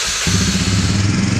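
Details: 1999 Honda FourTrax 300 4x4 ATV after carburetor cleaning (previously stalled while riding): catches cleanly and settles into a smooth, steady low beat without hesitation; running healthy.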